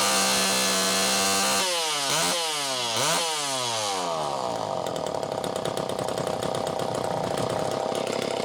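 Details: Super EZ Automatic two-stroke chainsaw, near-new condition, second test run after cleaning: crisp rev-ups climbing and falling cleanly, then a steady buzzing cut with no stumble or misfire; saw pulls strongly and runs healthy.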